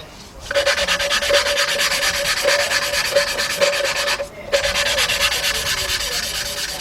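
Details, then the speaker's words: Valve being hand-lapped into the cylinder head of a 2003 Jeep Liberty Sport 3.7 during a partial engine rebuild: the back-and-forth rubbing turns smooth with no gritty grinding, showing the valve is seated. "When you hear that thing gets kind of like you won't hear it grinding no more. It will sound It will feel It will sound kind of smooth."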